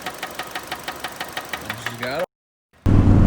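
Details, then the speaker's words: Car engine knocking at idle after it locked up while driving and the driver braked hard. Sharp, regular deep knock about four times a second from the lower end. A spun bearing is suspected, not confirmed. "I slammed on the brakes tires tripped and then it's fun over and it was knocking like at the hole here's a little clip of that"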